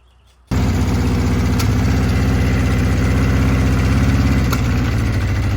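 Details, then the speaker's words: 1982 Honda CB650 four-cylinder, first start after VB44 carburetor rebuild, temporary fuel feed without tank: catches and settles into steady even low burble with slight lift in the middle; running fine. "Oh, there's the fire. Sounds it like, runs. Sounds like a run to me. Yeah, it does."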